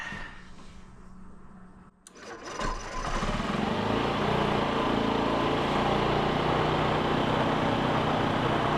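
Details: 2007 Honda Metropolitan/Ruckus 50cc scooter with a low-power complaint catches after a quiet crank and settles into a steady buzzing run. Fuel pump is feeding a glass jar on test and is not running short of fuel.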